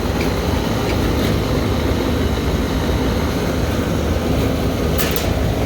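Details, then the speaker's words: Bar AC that keeps tripping its main breaker, with both compressors and both condenser fan motors running. A heavy, constant low rumble and rattling shake, "rattling up a storm": the unit is vibrating hard. "there's definitely some massive shaking going on here though here like something's just rattling up the storm"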